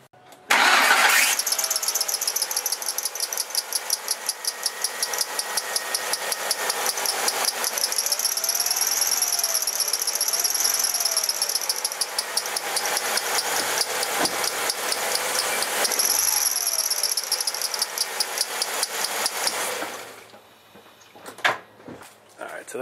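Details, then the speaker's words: Engine starts and a loud, shrill, chirping squeal rides over idle on a 2001 Ford Focus with brand-new timing and accessory belts and a new tensioner; squealing accessory drive belt, before applying soap. "usually it's the accessory belt that's doing the squeaking not the timing belt"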